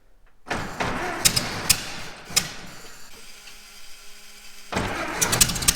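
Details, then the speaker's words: 1924 (also called 1925) Ford Model T four-cylinder, unrun for many years, first start-up: stumbles with uneven firing, pops and sagging speed; rough running, crew suspects fuel starvation and plans to clean it out. "we must not be getting all fuel we'll have to put more fuel in it and instead of giving it more let's just clean it out"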